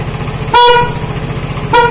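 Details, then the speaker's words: Vespa Matic scooter after no-start repair, engine running with 14.6 V charging: two short, clean toots with a steady, strong, unwavering tone; horn working normally. "ram-leela udah nyala tidak ada masalah ya"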